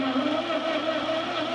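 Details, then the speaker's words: Ford 8N tractor that sat 4-5 years, in neutral, coil getting power and carb cleaner sprayed in: steady starter whir, engine turns over evenly but never fires; cranks but won't start, owner suspects no spark from bad points. "cleaner so I'm thinking we don't have any Spark so most likely we got problems with the points"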